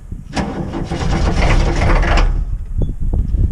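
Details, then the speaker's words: Ex-military Humvee (HMMWV) diesel with leaking fuel transfer pump, cold start at about 30°F after wait-to-start glow plug light: starter grinds about two seconds without catching, then stutters; laboured cranking, batteries suspected weak or drained overnight. "he did mention too he thought maybe something's drawing from the batteries the battery seems okay but then if it sits overnight it's not okay anymore"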